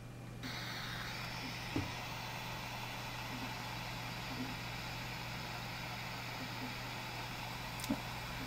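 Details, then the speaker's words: iPhone 4 video recording held without covering microphones while owner talked: constant windy whooshing hiss with low hum and no voice, from faulty noise-cancelling microphone. "So now when I play this video, you're going to hear that windy whooshing sound instead of my voice."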